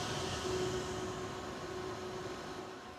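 Steady airy rush of cooling fans with a faint hum underneath, easing off slightly; inverter fans working normally under heavy load.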